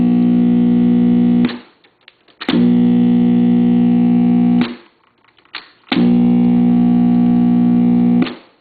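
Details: Webcor model 2711 tube reel-to-reel recorder (two 12AX7s, one replaced by 12AU7, 6X5 rectifier, two 6V6s), recapped: loud steady reedy low buzz in blocks of seconds on playback; extreme hum after recap, cause unknown.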